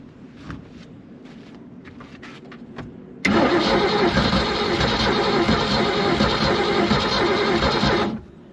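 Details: 1976 Glastron boat with 302 V8, sat outdoors 10+ years, block drain open: steady starter churn about three and a half turns a second for five seconds, no catch or firing; cranks but won't start.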